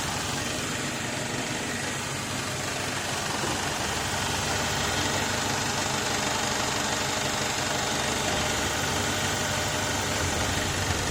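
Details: BMW E90, N46B20 2.0 petrol, automatic, idling in Drive; earlier squeak came from under car near gearbox, which has leaking pan: steady, smooth hum, no squeak or knock from underneath; sound gone, healthy.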